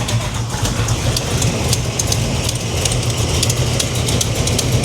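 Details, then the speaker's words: 1987 Chevy Monte Carlo SS V8 idling: sharp, crisp ticks over steady rumble; owner suspects exhaust header leak where one header/manifold bolt couldn't be installed, bolt needs shortening. "there's only one gasket that I couldn't get I mean one bolt one bolt on the exhaust manifold or the header I think I hear it"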